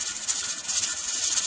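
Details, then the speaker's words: Pressure canner's rocker vent hissing and rocking with a loud, steady, sharp steam hiss, with the gauge at about 12 psi, slightly high, so the heat must be lowered gradually. Venting steam at slightly high pressure. "So this pressure canner has started hissing and rocking at me. So you can hear it. It's quite a loud noise. So this, I can see on here that it's hit about 12 pounds."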